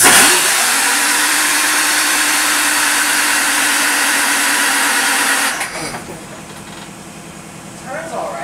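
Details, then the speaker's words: J. G. Brill gasoline motor car 120, after alternator replacement, turnover test via start valve: about five seconds of steady even cranking, no binding; engine turns freely, belts sit at an angle, water pump concern cleared. "It turns, but you see how those belts are, right? They're like on an angle."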